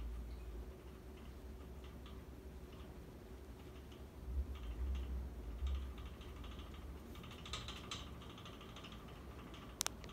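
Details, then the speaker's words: Dynasty hugger 52-inch ceiling fan from January 1988, bearings not broken in, slight wobble, on high speed: faint, irregular light ticking, about two a second, over soft air whoosh; owner suspects motor rattling against the hex bolts on its mounting bracket. "And you know, actually, what I think it is there's those two like hexagon type bolts that lock the fan motor to the mounting bracket. I think that it just might be rattling against that."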